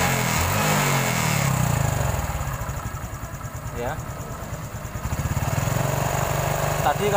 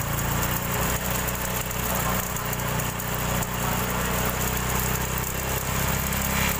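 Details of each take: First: Honda Supra X 125 injection after the cam chain repair: even putter at about four beats a second with no chain rattle, the earlier loud rattle gone and the idle now smooth; engine shows signs of routine oil changes. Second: Honda Supra X 125 injection motorcycle: idle is smooth, but opening the throttle to about 3000 rpm brings a gritty, gravel-and-sand rattle from the left/magneto side over the exhaust note; worn cam chain (kamrat), which gets replaced.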